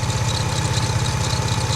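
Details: Lexus IS200 idling during an oil change: steady idle with fast, even low pulsing and a thin whirr above it; clutch ruled out, owner suspects a poorly tightened dry timing belt, not confirmed.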